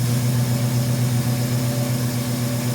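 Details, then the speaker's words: 1971 Ford Mustang Sportsroof (351) restarted after sitting about 14 years, accelerator pump leaking, battery possibly weak: steady, even low rumble at idle with no misses, knocks or ticks; sounds pretty good, healthy idle. "That sounds pretty good. I'm impressed."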